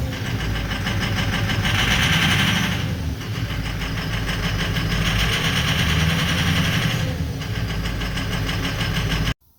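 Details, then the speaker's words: 2004 Ford 6.0L Powerstroke diesel that starts but runs really rough: uneven, lumpy idle over loud clatter; rough running misfire, suspected two or three bad injectors. "yeah so this thing's uh not really running that great sounds like it's got a couple two three uh bad injectors"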